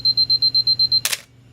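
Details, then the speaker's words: Canon AE-1 Program 35mm SLR with FD f/1.8 lens: self-timer gives fast high beeps about eight a second ending in a sharp shutter snap; normal, working countdown and release. "if we were to set this back on a higher speed and set for the timer we can do that here we hear it counting beeping a little bit and as it gets closer to the time here"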